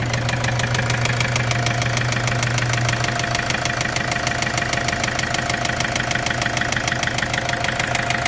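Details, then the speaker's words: Opel Vivaro / Renault Trafic 2.0 diesel at idle: steady, sharp, evenly spaced knock about twice a second over the idle; source of the engine knock not yet identified. "Сейчас будем завести у нас какой-то стук мотор Opel Vivaro 2.0 дизель ээ будем завести машину сейчас попробуем какой-то по сранный звук в моторе"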